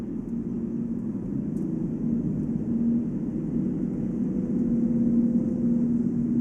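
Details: Volvo S80 steady low-mid drone at one pitch around 145 km/h (±5), only on new 245/40 R18 Goodyear Eagle F1 Asymmetric 6 summer tires; unchanged by acceleration, braking or cornering, no wheel play; owner suspects tire tread or rim, not wheel bearing.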